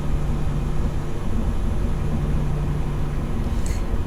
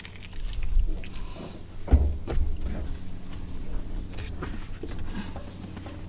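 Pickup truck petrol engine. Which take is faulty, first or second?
second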